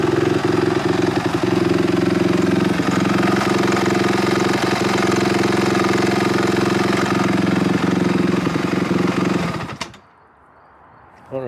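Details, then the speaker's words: 2005 Honda CRF250X single after valve shimming, timing adjustment and carb clean, first start: quick steady idle beat with even firing and no rattle before shutting off; smooth, normal running. "Oh my gosh, guys. She is smooth. She runs amazing. So smooth. Give a little throttle."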